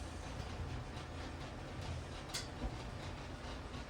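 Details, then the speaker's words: Old dryer after replacing all 5 drum wheels, running on carpet, not level: steady low rumble of drum turning smoothly, much quieter, no more squealing. "All right, let's fire it up and see what it does. Much quieter. It's not level right now because it's sitting on this carpet, but no more squealing."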